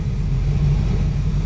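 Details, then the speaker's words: 2004 Ford F350 6.0 Powerstroke with low power, rough running and no check engine light, at low idle: lumpy, uneven loping diesel beat; misfire from a dead cylinder 1 injector, with cylinder 7 also dropping. "but look number one once you get down in this range that injector is dead and this thing's missing skipping"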